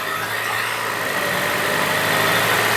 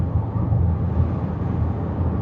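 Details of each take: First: Land Rover Evoque/Range Rover (towed in for stalling and low power), automatic idling in park right after start: raised, busy idle with a faint wavering whistle; fault codes show idle control system higher than expected and variable coolant pump performance stuck off. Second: Land Rover Evoque/Range Rover, low-power complaint, on the road test after the detached intake hose was fixed: smooth, even engine and road hum pulling cleanly with no intake hiss or whoosh; perfectly smooth, no more induction noise.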